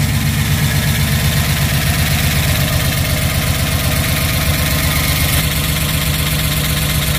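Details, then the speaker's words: Rebuilt 1967 Pontiac Tempest V8 at first start after rebuild, idling: quick steady top-end ticking from the valve train while checking oil reaches the top end. "valve train is making a little bit of a noise it seems like looks like we're getting oil"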